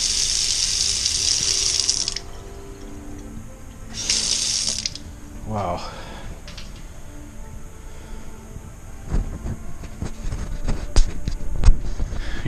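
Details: Testing the cold water supply at a tap after new water lines were installed: two strong bursts of full, hissing flow, steady while running. Normal flow.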